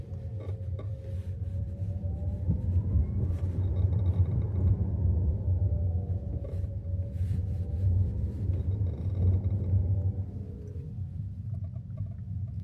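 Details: KIA EV3 GT-Line at about 27,000 km: low road rumble with a rising and falling motor whine and sharp creaks each time the accelerator is released at low speed into regenerative braking, even at regen level 0; creak seems from lower front, cause unknown.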